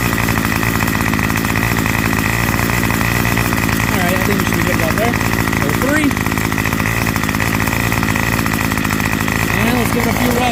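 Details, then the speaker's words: Curbside-found Craftsman 25cc two-stroke trimmer, revived with a new fuel return line and the divider piece omitted: continuous buzzy drone holding a steady speed without stumbling or surging; running properly. "I kind of wanted to see if I can get the whole shot in there, but it's kind of hard cuz it's long. It'll be running okay, though."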